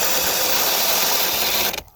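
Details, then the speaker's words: Cordless mini chainsaw on extended Dewalt-compatible 20V battery, pushed hard cutting: steady high buzz then motor cuts out abruptly under load; stalls, less easily than with the smaller battery, which owner suspects was run down. "Yep, it's stalled out again. So even with the bigger battery, it does stall out."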